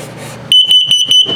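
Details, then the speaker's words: 2023 Flagstaff 176LTD tent camper, LP gas/carbon monoxide detector test cycle: five sharp high-pitched beeps then one long steady tone, the LP gas alarm test pattern, before the carbon monoxide alarm pattern. "LP is good, carbon monoxide coming up."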